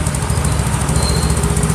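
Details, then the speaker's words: Yamaha Mio J scooter with manual ISC sensor setup, idle (~1300 rpm found too low, prone to stalling) raised toward 1500–2500 rpm by opening the adjuster; fast, even single-cylinder putter with firm deep thump, no stumbling, holding steady: normal raised idle. "penyakit sepeda motor awalnya gampang mati-matian ya mati-matian yowes ini digedein aja kerennya agak lebih dibuka"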